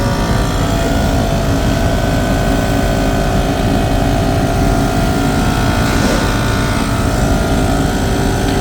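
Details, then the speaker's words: 2007 Land Rover Discovery with yellow air suspension light and codes C1A20-64/C1A18-64, raising the car: steady electric compressor hum, even drone, no knocking or rattling; pump running normally, car rising to normal height and errors cleared. "ये जी ये पंप आप देख रहे हैं, यहाँ से पंप की आवाज़ आ रही है और गाड़ी ऊपर जा रही है, आप देख रहे हैं।"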